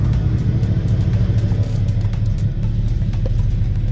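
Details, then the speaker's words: 1991 Eagle Talon (1G DSM) after throttle body work for a cold-start idle surge: cold engine idles steady and even with a low rumble, zero surge, still slightly high until warm; rattle from a disconnected center exhaust. "absolutely zero idle surge. It still idles a little bit high until that temp does come up and then it should settle right where it needs to be."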